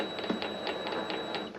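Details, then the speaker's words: Vevor MX400 mini lathe with redesigned tension pulley mount and cover fitted, running at slow speed: faint irregular ticking and light clunks as the chuck turns, from its adjustment screws dropping as they rotate. "k itself has that little clunking noise you hear somebody pointed this out in one of the other videos thank you for that by the way but it's it's these adjustment screws that are kind of as they rotate they they drop and they make a little little tiny noise"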